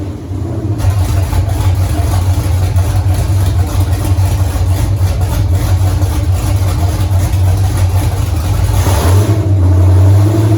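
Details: 1983 Mustang with cammed 5.3 LS from 2002 Avalanche, in park, thermostat not yet open, idle near 750 rpm: lumpy loping uneven chop then quick rev blip; slightly flat, unsettled idle needing tuning, cylinder temps even within 10 degrees.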